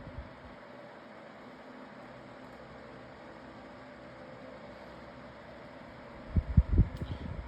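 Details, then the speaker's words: Lasko 18-inch plastic table fan on medium speed with oscillation on. Soft, even whoosh that holds steady with no rattle or ticking, then a few handling clicks at the end; the oscillation clicked on low. Normal running. "pretty good oscillation with this motor or blades um like part set or something."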